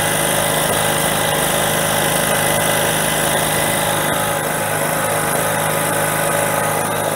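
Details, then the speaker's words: Tri-fuel generator running on propane, choke fully open, no load: uneven loping, hunting idle with irregular stumbles; rough idle, cause unknown; a resistive load is to be added next. "the choker is fully open it's not idling nicely and i need to put a load on it and see"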